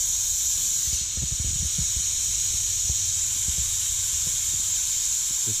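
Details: Compressed-air winterization purge of sprinkler zones from the basement valves: steady strong hiss of air rushing through the partly opened valves with a few handling thumps; normal purge.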